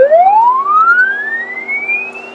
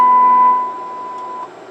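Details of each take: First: CB radio transmitting a swept test tone, heard on a Yaesu FTdx3000 monitor: the tone rises smoothly but is slightly distorted and rough at the low frequencies, holds a good modulation level, then fades away toward the top as the highs roll off. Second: Customer's CB radio transmitting a test tone near 1 kHz, then a lower tone, heard through a monitor receiver after the fix: the low-frequency distortion is gone and modulation holds up farther into the higher frequencies, so the transmit audio is clean.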